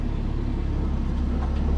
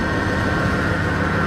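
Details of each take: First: 2003 Dodge Ram 1500 Hemi after fixing the bad idler pulley and refitting the belt: engine cranks, catches and settles into a steady idle, the whining, chimey loose-bearing noise gone. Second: 2003 Dodge Ram 1500 V8 idling, hood open: a steady whine with some clicking over the engine rumble, present for two to three weeks; traced to a worn idler pulley bearing, which was then replaced.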